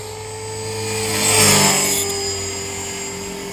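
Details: Trex 450 RC helicopter in flight after a crash, fitted for testing with a Common-Sense RC TR450-35 3500kv motor and 13t pinion: steady high squeal over rotor whine, swelling on pass-by, from a bad main bearing.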